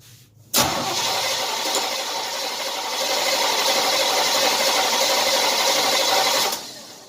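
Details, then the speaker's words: 1978 Chevy C10 350 V8 after a new Edelbrock intake, choke just set and battery weak with the alternator unhooked; steady even cranking for about six seconds that never catches. Owner suspects lost spark. Cranks but won't start. "What in the heck is going on? I must have lost spark."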